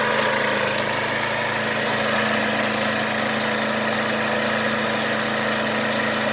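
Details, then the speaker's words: John Deere JS20 push mower, after the belt idler pulley was replaced: steady, even drone with no misses, knocks or belt squeal. Running healthy. "so in here there's the fix runs awesome"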